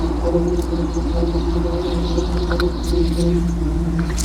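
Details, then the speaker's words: 1992 Jeep Wrangler YJ with a swapped 5.3L LS V8 and rebuilt AX15 transmission: deep, even burble with steady firing and no ticks, knocks or rasps. It sounds good and quiet. Normal exhaust note. "It really sounds good. Okay, I want to Yeah. And it's nice and quiet up here, too."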